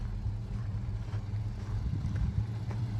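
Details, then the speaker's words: 1979 Chevrolet Camaro V8 warming up at idle after an all-new exhaust: deep, steady, even rumble with no misses or ticks; normal idle. "new exhaust, everything brand new. We'll set it up on the lift and look at it when we get home, but listen to that. That sounds brutally mean."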